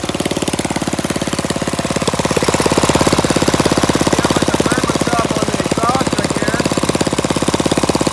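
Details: Flathead Briggs minibike engine, open exhaust, after carburetor mixture screw adjusted about a half turn out: rapid sharp even popping at steady speed, firing cleanly; normal running.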